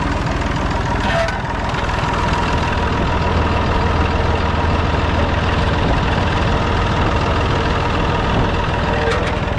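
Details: Massey Ferguson 245 three-cylinder diesel tractor, just started after sitting 12-15 years outside, charging: even heavy diesel clatter over a low steady throb, no misses or knocks; normal diesel idle.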